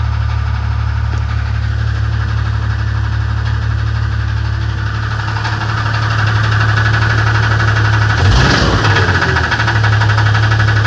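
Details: 1994 Grand Cherokee-type 4.0-litre engine at idle: regular knock about four times a second over low engine rumble; engine knock, cause undetermined.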